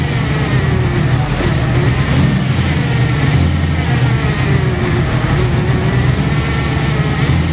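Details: Jeep first start after water pump replacement and reassembly of power steering pump, fuel pump, AC compressor, fan and belts: engine catches and settles into steady low idle rumble, no knocks or squeals over the even exhaust note; a leak noticed afterwards.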